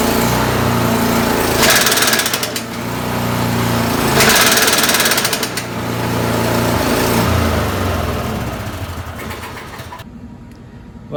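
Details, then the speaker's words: Craftsman snowblower: harsh rapid clattering hammer over the engine, swelling and fading with speed whenever the snow-throwing drive is engaged; self-propel drive is fine; bent impeller blade. "i was going to go back to work but then it made this terrible noise and so i just it was getting late so i just parked it"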